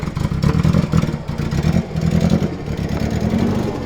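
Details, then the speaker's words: Nissan Silvia S13, long unused, driven onto a trailer: lumpy, uneven note with stumbling, dropping beats, missing heavily; owner suspects exhaust leak and overfueling, also possible head gasket letting water into a cylinder; plugs to be checked. "yeah, it was bloody missing pretty heavily trying to get it onto the trailer there. Yeah. So Could also be a mixture of the exhaust leak and overfueling."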